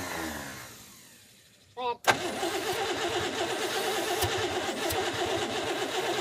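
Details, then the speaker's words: 1937 Pontiac Silver Streak barn find, long sitting, with fuel poured down the carb: starter churns about three turns a second with no catch; cranks but won't start, weak spark, needs the points serviced. "it just doesn't have good enough spark turn the key off yep sounds like we said need a set of points"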